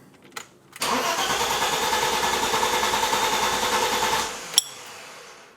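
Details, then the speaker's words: BMW E30 (M20) cranking with an even starter whir for about three seconds but never catching, on the first start after new fuel injectors and a fuel pressure regulator were fitted; the fault was later traced to the fuel lines. "Now I am expecting a little difficulty starting it on the first key turn, because there's obviously not any fuel in the lines. It needs to cycle through, pressurize, do whatever it needs to do."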